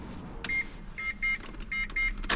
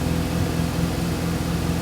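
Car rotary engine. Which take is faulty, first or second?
second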